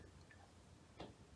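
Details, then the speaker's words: Second-hand Gaibo SM-12 soy milk maker that stopped blending after one use, filled and on for 5 minutes: a single sharp click of the heating element relay with no motor sound; motor appears dead. "it's been on for 5 minutes and I'm not hearing any motor at all so I think that's dead can hear the element the heating element clicking in and"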